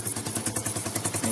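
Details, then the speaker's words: Motorcycle exhaust silencer broken at its weld joint; fast, raspy exhaust pulses about ten a second, harsh and barely muffled as exhaust blows out the crack, before removal and welding repair. "तो दोस्तों यहां से जो उसका welding है वहां से टूट चुका है हैं और इसमें आवाज कैसी आती है मैं आपको दिखाता हूं"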